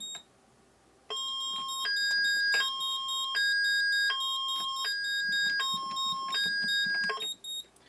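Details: Moose Z1100e security alarm siren driver after a panic key is pressed: loud two-tone warble alternating high and low about every 0.75 seconds, like old multi-tone car alarms.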